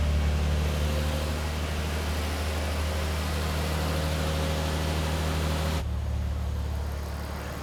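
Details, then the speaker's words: 1998 Nissan R34 Skyline GTR (automatic), after IACV cleaning and new TPS calibrated to 0.51 (spec 0.45–0.55): smooth, even low hum at about 750–800 rpm idle with no hunting or surging; high idle fixed. "all right I got that is sitting at about 800 750 to 800 RPM at the moment so uh I'm stok with that that's awesome"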